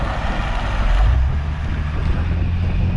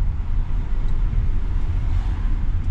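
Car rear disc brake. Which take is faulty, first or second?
first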